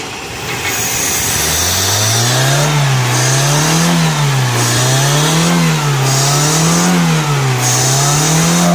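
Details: Toyota 4K (K series) engine, first start after overhaul: revs rise and fall about every second and a half with a smooth, even note and no knocks or rattles; healthy running.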